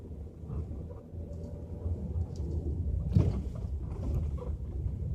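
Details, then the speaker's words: 2012 L322 Range Rover on a bumpy road at 10 mph with right-hand sway bar link removed: only steady road rumble, no clunk or rattle; front clunk isolated to the sway bar, ball joints suspected. "so ten miles an hour I can already tell it's gone there's nothing"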